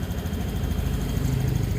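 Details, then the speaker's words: 2017 Honda Scoopy after ECU mode-1 reset, idle set by ear without tool; owner complained of rough sound climbing and weak power, found worn roller housing: steady even low putter, no misses or knocks, idle neither too high nor low; normal idle. "Setelan langsam kurang besar dikit karena saya tidak punya alat, dikira-kira saja. Pokoknya langsam gak kebesaran ya gak kekecilan."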